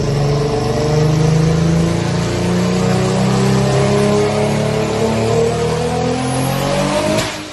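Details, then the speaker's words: Mitsubishi Evo X, GTX3584RS turbo in stock location, 18 psi spring, flex-fuel tune, sleeved block: revs climb steadily under full load with a rising tone over the roar; tuner hears the turbo going out, stopped at about 500. "But he made like 500. The turbo's going out. I literally hear it."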